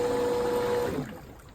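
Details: Infinity Spas hot tub pump number one (recirculation and jets) at high speed, clean steady mid-pitched motor hum with no grinding or rattle; healthy pump, unlike pump two with the worn bearing.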